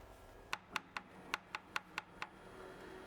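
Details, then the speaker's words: Bambu Lab H2D 3D printer bed changing height: sharp, uneven crackling clicks over a faint motor hum from grit in the threaded lead screws; fixed by cleaning the rods with isopropyl alcohol and microfiber cloth, then lubricating. "Si hay suciedad en las roscas, puedes oírla como un sonido crepitante cuando cambia la altura de la plataforma."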